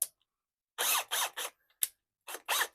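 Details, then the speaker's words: Ozito brushless hammer drill, bought used; short bursts of harsh ratchet-like grinding while spinning, which owner attributes to the chuck locking mechanism, gone once it is pushed fully to unlock and run forward. "So meron siyang weird na sound. I think yung kanyang locking mechanism 'yon."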